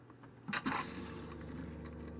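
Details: Dometic RV toilet after fixing its leak: clunk of the flush valve, then an even rush of water holding steady without sputter; normal flush, leak resolved.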